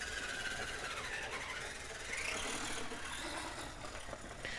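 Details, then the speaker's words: Redcat Everest 10 RC crawler after a gearbox upgrade to all-steel gears, a steel spur gear and an aluminum gearbox: an even, high electric whir with a light, steady gear whine and no clicks, knocks or grinding, running much smoother than before. "we're the gearbox sounds a lot better now so much smoother Wow"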